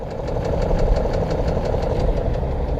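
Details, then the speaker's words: BMW X5 E53 engine: sharp, even knocking about five beats a second over rough idle, heard from the rear/underneath, appeared right after VANOS repair; suspected lifter (hydraulic compensator) or piston, cause unconfirmed. "обнаружилось что что-то стучит слышен да так брякает сзади очень хорошо слышно этот стук появился как только завели после ремонта vanos of то есть не было этого столько раньше"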